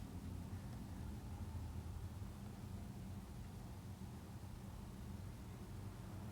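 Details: Commercial gas unit heater running normally while its gas pressure is set to 3.5 inches of water column: a steady, even low roar with no surging, popping or flutter, and a stable flame.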